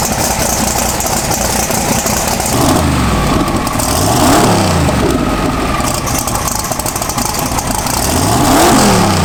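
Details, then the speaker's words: Sorceress twin-turbo Pro Mod drag car after repair of a broken or loose rocker stud bolt: lumpy, even idle with quick clean blips, spooled up a little; running normally. "We repaired it, fixed it, and we ran the car, and we spooled it up a little bit, and everything seems to be back to normal."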